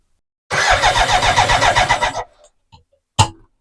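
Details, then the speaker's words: BMW K100 motorcycle cranks under two seconds with no fuel pump hum and no catch after new pump fitted; owner suspects fuel pump or its wiring, cause not confirmed. "H that fuel pump should be making noise so you can hear it kicks when it tries to start so I know makes me think it's the fuel pump or the fuel pump wiring"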